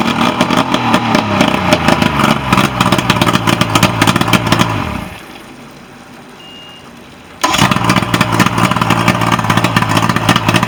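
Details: Nitro boat with Mercury outboard, previously a no-start, final running test: fast, steady firing beat that dips briefly and then picks back up evenly; running normally.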